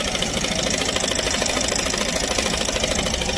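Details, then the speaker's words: Yamaha NMAX scooter brought in for suspected CVT belt noise; CVT removed, running without clutch: quick, fairly even light knocking about three per second at idle, inside engine; connecting rod knock, engine must be disassembled. "Barulhinho de biela, filho. Então, já sabemos, tem que desmontar o motor."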